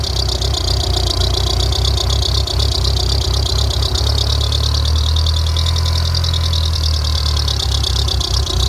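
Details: 2G DSM (Mitsubishi 4G63 community) just after startup: rough steady idle with thin high continuous squeal seeming to come from the timing belt area.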